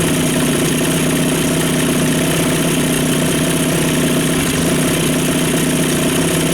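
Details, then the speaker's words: Two-stroke outboard after fuel system refresh (carb cleaned, new fuel pump, fuel flushed), idle air bleed screw at factory position, previously wouldn't idle: steady, even burble at idle, no surging or stalling; smoother than ever. "okay so I'm not going to argue with that that's smoother than she's ever idled"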